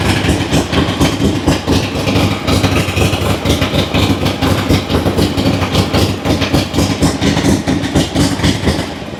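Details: Harley-Davidson Ironhead V-twin running: loping, uneven-fired beat about two pops a second, steady and strong with no knocks or rattles; healthy engine, no leaks.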